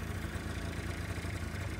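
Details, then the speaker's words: Honda Lead 50 scooter, five years old, compression about 9.5 against a spec of 10.5, started on the electric starter. A steady, even, low single-cylinder putter with no knocks or misses. A healthy idle, showing how a sound scooter should start when checked before purchase. "когда вы если приобретете скутера нос так прекрасно все заводился"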